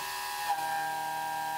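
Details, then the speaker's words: Haas CNC mill cutting a part that hangs far out of the vise and is poorly supported: sustained high singing tone with a sharp mid-cut burst, which is chatter; planned fix is a larger vise or wider jaws. "clearly our part is not being supported well right with this part hanging out so far when the tool is in the cut it's really going to be bouncing around giving us a lot of chatter"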